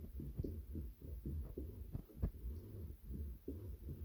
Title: Thrustmaster cog noise when turning the wheel